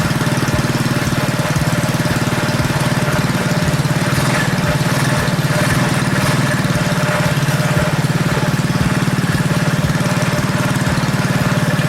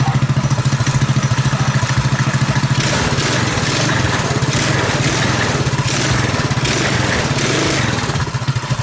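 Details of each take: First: Predator 212cc single on KT196 go-kart after ignition timing advance: brisk, even idle, clearly faster than before; sounds good, but idle is too high and owner plans to lower idle speed or low-speed mixture screw. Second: Predator 212cc single-cylinder on modified KT196 go-kart, ignition timing advanced, 8-tooth front sprocket: small single thumps evenly at idle, revs up and drops back cleanly with crisp exhaust, no missing; exhaust sounds good, running right.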